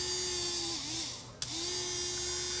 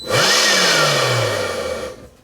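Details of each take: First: DeWALT cordless leaf blower motor bench-run on a power supply at about 4 V, 1 A: smooth, steady high whine, brief dip then clean recovery, no rubbing or rattle; motor fine, controller or battery suspected. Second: DeWALT cordless leaf blower shutting down after about 2 seconds at any speed: whine spins up fast, then winds down and stops; looks like an overcurrent shutdown, with the controller cutting the motor rather than a motor fault.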